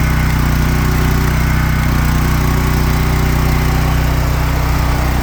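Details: Champion Dual Fuel portable generator on non-ethanol gasoline, weekly run: smooth, even drone at steady speed with no misses, knocks or surging; running healthily.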